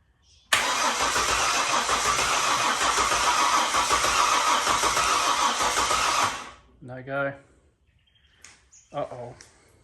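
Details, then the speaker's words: Ford BF XR6 with swapped Barra engine, first start attempt after adding about 10 L fuel; strong steady cranking about six seconds, no firing; fuel pump noisy, air suspected; crank no start. "there's an awful noise coming from the fuel pump it's it sounds like there's air in there"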